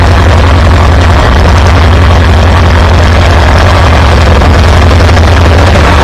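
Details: Farmall B tractor after a weak ignition coil was replaced with a new one: deep, even thrumming with steady firing and good oil pressure, no misses or knocks. It runs smooth and healthy.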